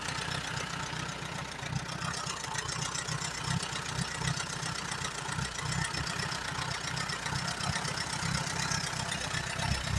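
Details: 1938 Allis Chalmers B with Waukesha engine: uneven, lumpy low idle with a ragged, hissy exhaust beat that never settles. It runs only on choke, plugs are slightly rich, and the carburetor needs rebuilding badly.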